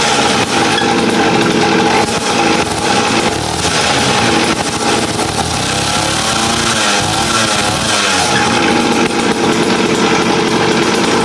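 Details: Raptor 87 two-stroke pocketbike after canister mod (tube drilled, steel wool packed, additional silencer fitted): revving up and down, exhaust noticeably softer and less piercing, no harsh crack; normal exhaust with added silencer, sound reduced.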